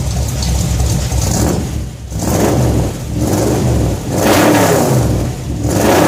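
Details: Shop truck blips up and back smoothly and evenly with no misses or knocks after a fuel system overhaul (fuel pump, regulator, filters, intake gasket, carb spacer; 3.5 psi fuel pressure); no leaks, and it runs pretty good, needing only fine tuning.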